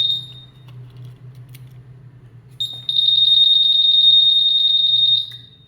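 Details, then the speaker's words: Scooter with a smart key and a starter that won't work, tested with an SCU simulator: a steady high-pitched electronic beep pulses quickly then stops. The anti-theft alarm sounds normally. "Akan tetapi jika kita nyalakan untuk alarm, ini bisa berfungsi dan alarm akan berbunyi."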